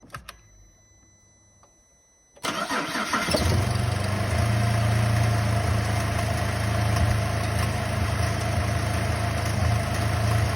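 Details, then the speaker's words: Holden VZ Calais 3.6L LY7 V6 cranks, catches and settles into a lumpy, uneven idle with a heavy low throb; whole left cylinder bank stopped working, owner plans to replace all six coils and test grounds and wiring. "This whole left side bank has stopped working."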